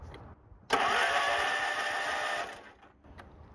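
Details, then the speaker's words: Free Yard Machine 15 hp riding mower, long sat outside with water in intake, on jumper pack: starter spins the engine freely about two seconds with steady whirring, slightly clinky, no binding; normal starter cranking. "sounds good [Applause] starter sounds a little bit clinky"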